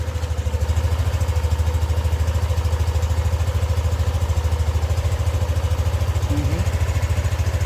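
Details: Yamaha NMAX V2 single-cylinder scooter after repair of an engine knocking noise (engine opened, magneto cleaned): smooth, even low idle beat with no knock or clatter.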